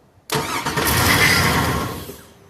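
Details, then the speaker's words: 2002 Cadillac Escalade EXT with a new starter, starter hot-wired from the battery with the key on. Cranks, catches and revs, then dies within about two seconds. Starts then stalls; owner suspects a ground issue from a broken ground strap. "hit it again so it starts up and just immediately shuts back down"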